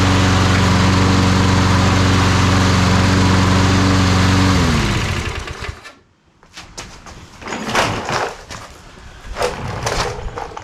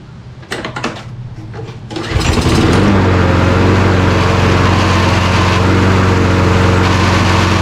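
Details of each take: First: Toro Recycler push mower, sat 3 years unused, carburetor cleaned, new mower blade fitted: smooth steady drone for several seconds, then winds down and shuts off cleanly; normal running. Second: Toro Recycler mower after sitting 3 years, carburetor cleaned: engine settles into steady drone with quick rattle about four per second as worn plastic drive pinion gears skip; stripped drive gear.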